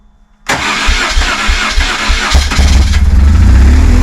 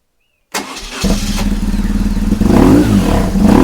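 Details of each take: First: High-mileage BMW R1150GS, first start: starter whirs, engine catches and settles to a fast, uneven, lumpy idle; one throttle body was held open. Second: High-mileage BMW R1150GS with a used Facebook Marketplace replacement engine, after rerouting a cable that held a throttle body open: fires after half a second and settles into an even, steady twin-cylinder idle with no misfire; healthy.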